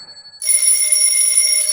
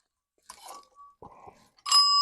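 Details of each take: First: Old telephone bell ringer with stranded bare wires, powered up: bright continuous clang for about a second and a half, striking properly but not ringing continuously; the screw then came out. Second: Old telephone ringer bell being cranked: a few faint dings, then two short bursts of clear ringing that cut off quickly; weak intermittent ringing, cause suspected, not confirmed.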